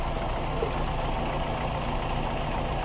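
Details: Older VW Polo 1.4 petrol: a steady, even, low rumble with no ticks, knocks or misses; normal, smooth idle.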